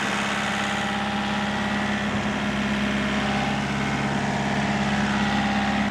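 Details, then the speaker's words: Old excavator diesel after new-year servicing, engine held at high revs; steady even drone with no knocks or misses, sounds good and happy, oil level up; right-hand track a little slow; normal engine at high revs. "Sounds good. Well, Sounds fine. sounds happy."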